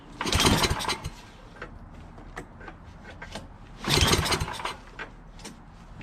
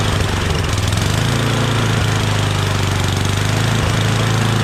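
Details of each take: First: Yardman 8.5 hp 26" two-stage snowblower, reassembled from parts, with good oil, gas in the tank, and its throttle plastic missing. Two hard recoil pulls give brief rattling spins without catching. Fuel smell present, spark found afterward: cranks but no start. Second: Yardman 8.5 26" dual-stage snowblower, reassembled from parts, just started on starting fluid: small single-cylinder engine settles into a steady, even chug with a firm low note and no misses; good, healthy idle.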